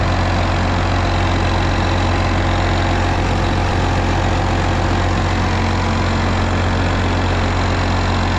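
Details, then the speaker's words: Case 305 diesel idling after a fuel filter change, pump primed six times: steady, even, firm clatter with no misses, rattles or hunting. Engine sounds healthy. "Well, not too bad. So far, sounds good."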